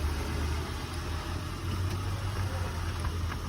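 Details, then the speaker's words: 2000 Acura TL with 3.2 VTEC engine, started right up on a jump box and shifted reverse then forward, holds a steady low, unbroken idle rumble with no knocks or misses; sounds real good. "And coming back forward on it. Sounds real good. Got the 3.2 VTEC engine on this one."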